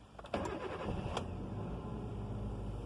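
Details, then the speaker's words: 2005 Kia Picanto with intermittent crank/no-start traced to oxidised immobiliser antenna coil connector terminals; immobiliser light on, brief starter whirr then engine catches quickly and settles into steady even idle — normal crank and start. "i hope you heard it started it has started it's running now"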